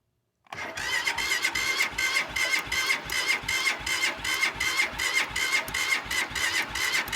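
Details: Cold start attempt: the starter cranks steadily at about two and a half pulses a second for seven seconds, but the engine never fires or catches; won't start, cause suspected but not confirmed.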